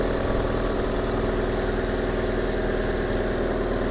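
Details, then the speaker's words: 2004 Hyundai Santa Fe Mk1 2.4 litre after coil pack replacement, spark plugs already replaced: steady, even idle with smooth low pulse, no stumbles or skips; runs smoother than before, healthy. "We're going to run it. Let's see what it sounds like. There we go. That feels a bit smoother."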